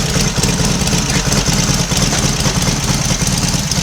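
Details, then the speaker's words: Royal Enfield Constellation twin, started the morning after its first run on both cylinders from a single carburetor, fuel on, slight retard: even steady idle, no misfire or knocking, no smoke so no wet sumping; slightly sticky throttle cable; normal idle. "No smoke because there's no wet sumping. And a slightly sticky throttle cable this morning."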